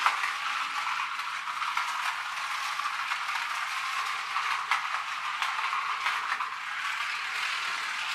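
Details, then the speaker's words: Magic Track toy car after a superglue repair: a light, steady high-pitched gear chatter with no slipping or catching; the drive runs normally. "now it works bit of superglue back in business and escapes"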